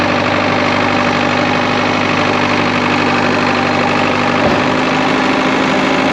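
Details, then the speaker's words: Early-1980s International TD8E diesel bulldozer, long unused and started with ether, at steady idle with a dull, slightly uneven beat and no clear knock; owner feels it isn't running right and suspects the injection pump or low compression in a cylinder. "I think there's still some work to do I'm not convinced that it's running 100 right I don't know if I got maybe a fuel pump uh the injection pump or uh maybe I'm down compressionist cylinder"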